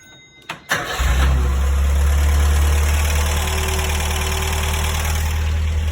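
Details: Datsun minitruck, restarted after the fan, shroud and pulley were removed while isolating a noise that then went away: cranks briefly, catches and settles into a steady, even low idle with no knock or whine.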